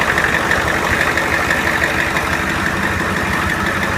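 Steady, even idle with a constant mid-pitched hum and no squeal or chirp over it; the belt drive sounds healthy.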